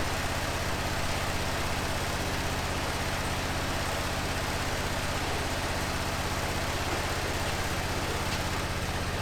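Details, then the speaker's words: 2005 Honda TRX650 Rincon, 650cc single four-stroke, revived non-runner, cold on choke in neutral: a steady, even low thump holding pace without stumbles or misses. The idle is clean and healthy, and the carb may need slight tuning. "sounds pretty good huh need to let it warm up"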